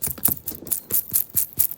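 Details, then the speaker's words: 1973 Dodge Dart Swinger steering column bearing turned by hand while chasing a column rattle: dry regular clicking about five times a second; bearing slightly loose, suspected dirty, improving as turned, to be cleaned and packed with thick grease. "It's a $9 bearing. The more I'm playing with it, it must have some dirt in it because it's getting better and better."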